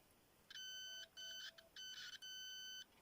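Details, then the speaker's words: Homemade late-1980s continuity tester whose tone pitch shows resistance, probes across a short circuit: clean, steady high beep in several short bursts, pitch unchanged each time. Dead-short tone. "this might be a little difficult to hear but um here's the short circuited"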